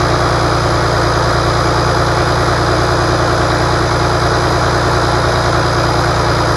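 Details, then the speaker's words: Rebuilt International DT466 diesel from a loader, previously knocking, test-run after the rebuild: smooth, even idle with a steady low chug, no knock or miss; runs good, healthy. "it runs good uh so far we're going to do some other maybe adjustments and a few other things put the valve cover on and some other different things but I think we're in good shape now"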